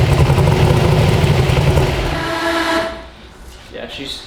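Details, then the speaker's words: Healthy 372 small-block Chevy V8 in an original Chevy S10, heard from outside the vehicle, with a deep, heavy loping rumble; runs strong on a brand-new Holley that still needs tune cleanup. "yeah it runs though man now we just need to clean up the tune"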